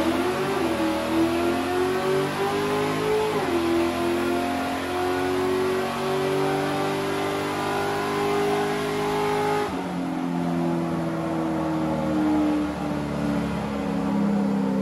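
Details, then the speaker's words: Chevy LS3 427 V8 Ultra4 car on dyno, loaded full-throttle pull first through third gear from about 1–2 mph to 120 mph: strong clean note climbing through gears with crisp shift drops, no misses or vibration; healthy. "That was from that to 120 mile an hour. 120 miles an hour, which I don't think we've ever gotten up to that speed on this."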